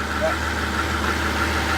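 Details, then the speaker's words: 2004 Mercedes SL600, 500hp twin-turbo V12, idling: smooth even low hum, steady beat, no misses or knocks, running on all 12 cylinders; normal idle. "And it sounds like it's running on all 12. It sounds good. It does. It sounds good."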